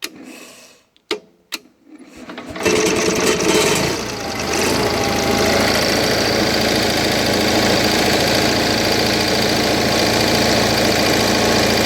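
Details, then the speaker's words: Onan 4 kW carbureted gasoline motorhome generator restarted after maintenance and after a leak needed a clamp: a few false catches, then a smooth, steady rpm with no fluctuations; normal idle. "so as you can hear hopefully that's a steady sound steady rpm no rpm fluctuations"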